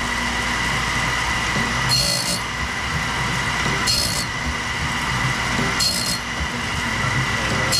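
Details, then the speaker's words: Saw blade sharpening on a BMS 250 sharpener: steady hum with a bright grinding burst about every two seconds per tooth, cutting at the most aggressive depth wanted, gullets cleaned of dye; normal grind. "on you hear the sound that's that's pretty much as aggressive as I want to be on it"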